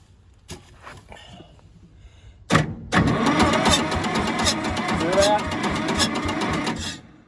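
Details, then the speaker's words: Massey Ferguson 200 crawler loader cranking, fuel on and plenty in tank, no exhaust smoke: even cranking pulses about two per second with muffled woofs back through the intake, catching briefly but not running; suspected valve/engine problem. "Now, it's making a little fire, but it sounds like it's backfiring through a valve. So I'm thinking there's engine problems. It sounds like a fire coming back from the intake."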